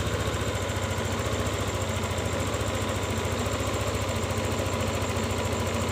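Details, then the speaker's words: Yamaha Lexi scooter that died when throttle released, after ISC sensor reset (screw in fully, out 2.5 turns, key cycled 5 times): single-cylinder idles steadily and evenly, higher idle, no stumble or hunting. "sekarang langsung saja kita coba Nyalakan kita bunyikan mesinnya begini langsamnya Jadi tinggi ya bro"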